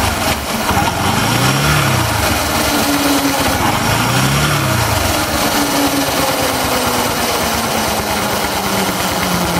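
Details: Bajaj Discover 125 ST idling with a coarse, uneven rattling clatter, likely a slack or worn drive chain; cause suspected, not confirmed.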